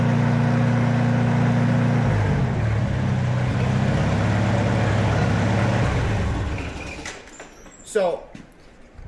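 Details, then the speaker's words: Farmall Super A tractor that surged on arrival, after refitting the governor spring that had bounced out of its cup: after the throttle drop the engine settles into a steady, even beat with no hunting; governor holding speed normally. "you could hear that. That sounded normal, you know what I mean? It did not sound normal when it came. It had that surge to it."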